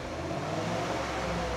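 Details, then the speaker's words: Cadillac Seville STS V8 first start after repairing an engine blowout, cold, revved gently: smooth steady drone with no stumble or miss; slight noise from a pulley and the power steering pump; some smoke, likely water vapour. "Sadece bu motor soğuk Şu an az bir şey çok yavaş Evet motor soğuk yavaş yavaş ver o İpek ipek"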